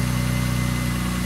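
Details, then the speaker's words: BMW E30 with a turbocharged M52 engine, started after winter maintenance and earlier trouble starting: a steady, even idle with a smooth low hum and no stumbles. Normal idle. "Sounds better. It starts running Yeah it does. Yeah. Fuck this shit. It runs nicely."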